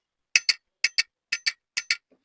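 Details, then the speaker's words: 8-pin glass miniature relay (220 V), coil on pins 2 and 7, energised by the green push button; four pairs of sharp clicks as it pulls in and drops out each press, never latching because the common holding wire isn't connected. "जैसे ही हम green को दबाते हैं तो ये coil जो energy हो जाती है। अभी ये होल्ड नहीं हो रही। क्यों होल नहीं हो रही? क्योंकि हमने इसका कॉमन नहीं लगाया।"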